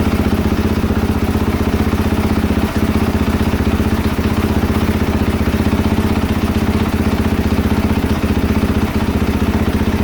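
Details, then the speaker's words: 2022 KTM 450 SXF after transmission repair, first heat cycle with coolant, no choke, cold idling while warming toward 154°F: fast even single-cylinder pulsing at steady idle, no misses, knocks or grinding; healthy. "I'm just going to let her sit here and idle for a little bit and get some temperature in her"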